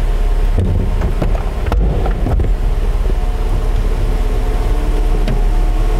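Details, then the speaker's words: 1991 Mercedes-Benz 300SL (R129) power soft top lowering: hydraulic pump hum with clicks and snaps as parts lock into place; normal factory operation, loud by design. "a power top was a new thing and they didn't know how to make everything seamless and quiet and so there are some noises from Hydraulics with stuff locking and clicking and snapping into place take a listen to the top going down"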